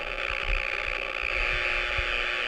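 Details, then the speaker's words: Power line noise heard on a receiver, multiple active sources, before direction-finding with a 4-element 2 m Yagi; steady harsh buzzing hiss with crackling edge. Power line arcing noise. "and it's really hopping so next we're going to try to get a heading on it"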